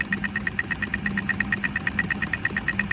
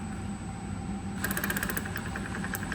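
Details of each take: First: Centurion ARV magneto, dried out in the workshop for weeks, spun on the bench by a drill: steady sharp spark ticks over the drill drone, still sparking at very low rpm, so it should spark during slow cranking. Normal magneto spark. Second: Centurion ARV magneto: sparks well at higher rpm, but at low rpm the snaps are weak, patchy and skip, which explains the hard starting. Being run at higher rpm to improve it. Weak spark at low rpm.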